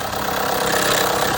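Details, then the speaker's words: 2015 Honda CR-V 2.4L AWD at cold idle with a dense metallic rattle from around the valve cover that reportedly fades once warm; the cause is suspected to be overdue, low or dirty oil affecting the VVT solenoids or phasers. "see if it gets louder it's much louder now yeah like it's coming from inside yeah yeah quite the valve cover"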